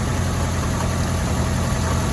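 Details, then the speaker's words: 2002 Mazda Protege 5 at smooth, steady idle after a temporary epoxy repair of an ignition part arcing visibly; previously ran rough and shook, now no spark snapping heard, new coils still an option; normal idle. "so seems like to me everything's running good though"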